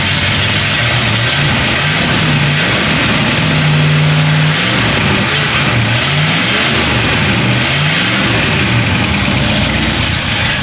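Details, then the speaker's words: 1967 Pontiac Bonneville V8, abandoned on a farm, first start on a jump pack and replacement battery: deep, loping idle rumble, picks up cleanly through several blips and settles back; sounds healthy, normal revving. "She runs. She runs now. We can move on. That sounded really good."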